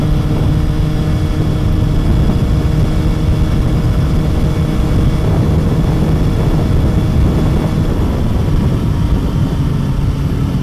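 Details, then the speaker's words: Motorcycle riding shortly after its first tune-up, recorded by a mic inside the helmet: steady, even engine drone at cruising speed under low wind rumble; the bike sounds and feels smoother and freer than before. "yeah i mean you can even hear it the bike just sounds better i mean to me i don't know how well you guys can hear it you know through my mic inside my helmet but to me like here riding the bike it just feels and sounds so much smoother"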